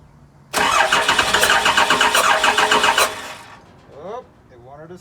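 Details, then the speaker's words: Cummins diesel with VP44 pump, 199k miles: steady fast cranking about four beats a second with a few ragged catches on a little ether that never take hold; crank no-start. "all right I just checked to verify the vp44 is definitely getting power and it is and it tried to start on ether just a little bit of ether I don't want to give it too much"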